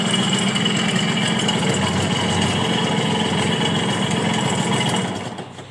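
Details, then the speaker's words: Suzuki A100 two-stroke motorcycle at idle: loud coarse uneven rattle; piston and bearings need checking, worn crankshaft bearings and scored piston. "kayak kapal pecah Hai suaranya Udah kayak kapal pecah itu jadi yang harus dicek ini bagian seher untuk seher nya di cek bearing juga"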